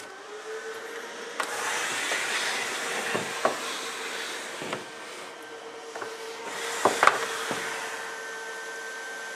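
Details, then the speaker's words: Liebert GXT3 UPS switched on with no load connected: the cooling fans spin up to a steady mid-pitched whir and airy rush under a few handling clicks, running evenly as normal. "You'll hear the fans kick up here in a second."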